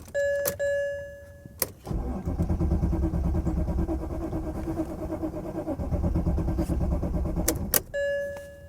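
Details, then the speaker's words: 1987 Chevy Monte Carlo Luxury Sport at a salvage auction; door chime, then about six seconds of even cranking at roughly three beats a second that never catches; cranks but won't fire, owner suspects it's out of fuel. "I bet it's out of gas does the gas gauge even move no nope I know what's wrong with it I ain't got no gas in it"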